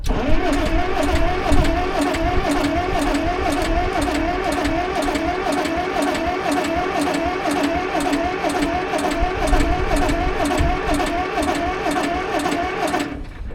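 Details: Long-dormant CAT D8 dozer with rebuilt carburetor, first start attempt: steady rhythmic cranking, about two compression beats a second for over twelve seconds, never fires; turns over but won't start.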